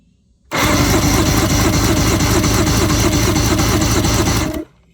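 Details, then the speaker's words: 1997 Evinrude 150 hp V6 two-stroke outboard, sat over 20 years, cylinders fogged, all spark plugs out for a compression test: fast, even, free starter cranking at about three turns a second with no compression beats. Cylinder 1 read 95 psi. "So we got all our plugs out, ready to go, battery hooked up, keys working, power to the system, and here's our compression checker. We've got it set to 0, and we're gonna turn it over and see what we get."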